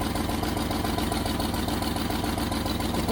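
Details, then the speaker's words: 1989 Range Rover Vogue SE V8, cold start, radiator low, oil light came on: idle with faint steady puffing tick over the rumble; blowing exhaust manifold. Exhaust manifold leak. "We might have a blow on the exhaust. Radiator low. A blow on the exhaust. There's definitely a blow on the exhaust."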